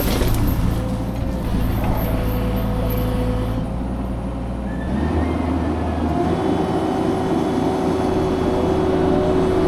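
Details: Fecon forestry mulcher after rebuild/overhaul, freshly greased, churning a test brush pile: heavy steady drone, no knocking or grinding; normal operation.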